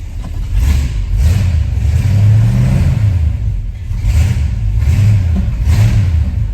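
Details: Jeep CJ7 after fuel system repair with new fuel pickup, restarted after flooding with extra fuel and smoke; deep, even rumble rising and falling cleanly with each throttle blip, no misses or knocks; engine running healthy, normal revving.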